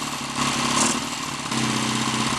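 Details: Lightly customized Triumph T140 Bonneville twin on its first start attempt, hot-wired ignition, still pumping excess oil out of the crankcase, idle uneven but steady with a brief blip, no knocks, rattles or smoke; engine runs cleanly.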